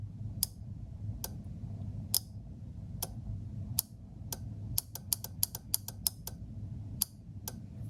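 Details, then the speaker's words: Relay module with Darlington array driven by a simulated microcontroller high signal, multimeter on output beeping continuity: crisp dry relay clicks at irregular intervals over a faint hum; relay switching cleanly, circuit closing. "you can hear the multimeter beeping therefore indicating that the circuit is closed a short circuit and you can also hear the relay clicking or switching"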